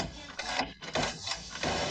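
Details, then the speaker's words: 2004 Mercedes Vito W639 115 CDI front window regulator, tested after repair with the motor connector refitted; smooth, even motor whir as the glass goes fully down and back up, no grinding, clicking or binding, working properly. "Okay, you see, it goes down perfectly all the way to the bottom and goes up. Perfect."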